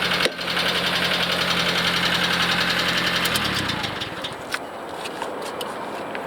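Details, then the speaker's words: 1983 Nissan Skyline RS Turbo (DR30) 4-door, low mileage Japan import, running on a hooked-up battery: steady idle with even light tick about 160/min from the head before shutdown; suspected valve train ticking, no head gasket failure seen. "Okay, so beside the engine sound coming from the head, it seems like the engine runs fine."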